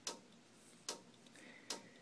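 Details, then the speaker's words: Samsung LN52A650 TV clicking about every 0.8 seconds as soon as it is plugged in: the power relay cycles on and off because of three bad 1000µF capacitors on the power board. "soon as you plug it in you hear that clicking just find out what's causing it"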